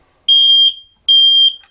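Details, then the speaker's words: Home smoke detector sounding continuously: loud shrill half-second beeps repeating about once a second without stopping; the detector is sensing smoke, e.g. someone smoking beneath it. "go off and off and off and never stop and the reason for that is to number one it is doing its job somebody's smoking right underneath it"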